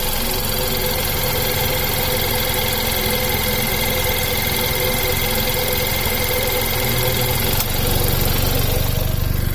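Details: Idling engine with a thin, steady squeak chirping about four times a second, still there after a new belt and tensioner were fitted.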